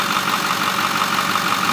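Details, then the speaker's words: 2008 Ford F-350 Super Duty 4x4, 6.4L Power Stroke diesel, 152K miles, at operating temperature: even idle with light regular clatter, no knocks or misses, very little crankcase venting; healthy motor. "this truck has uh very little train case venting uh which shows that it's a really healthy motor"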